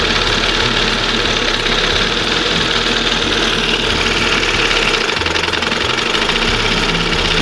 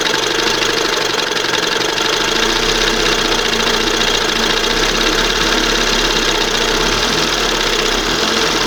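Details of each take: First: 1971 Johnson 20 HP two-stroke outboard, swapped back to a conventional side-adjust carburetor after the OMC primer pump failed: steady, smooth two-stroke idle with a light rattly buzz, no surging or high revving; normal idle, still a slight slump to tune. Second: 1971 Johnson 20 hp two-stroke outboard with replacement carburetor after OMC primer pump failed: busy buzzing note holds steady and won't settle to slow idle while adjusting carb; high idle speed.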